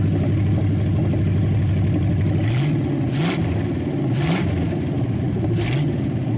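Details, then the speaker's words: Packard 374 cu in V8, warmed up after oil burned off the hot exhaust manifold: strong, even beat with quick, clean pickup on throttle blips, no knocks or misses; shuts off fast, suggesting little cylinder wear and good compression. "And I really, you know, I like the sound of it. It revs quick and sounds strong as can be."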